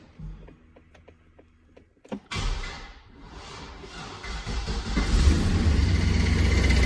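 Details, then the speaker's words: 2004 Chevy Silverado, 6.0L gas, 4L80E transmission, bad flex plate. Cranks and catches, then an uneven, intermittent knock rides under the idle and fades when throttled. "it's a 04 Chevy Silverado six liter gas 4L80E transmission and it's got a bad flex plate in it so let me show you what it sounds like"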